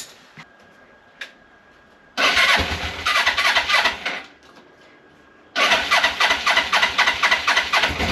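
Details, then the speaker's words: 1989 Suzuki GS500E twin after new spark plugs and air filter (previously misfiring, running on one cylinder), cold start at about -5°C after a week unused, on choke then choke off: crisp catch, then even steady twin beat, no missing; sounds like it's running on both cylinders. "There we go. Fired up pretty easily. You can hear it starting to warm up. And I've just taken the choke off."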